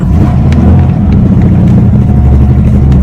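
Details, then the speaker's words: 1994 Ford Ranger being revived, driving up a test hill, switched from two-wheel to four-wheel drive under load: uneven stumbling drone with lost pulses, engine missing badly; cause not yet known. "oh yeah there we go she's uh Missing kind of pretty bad now hang on the power but up the hill we went"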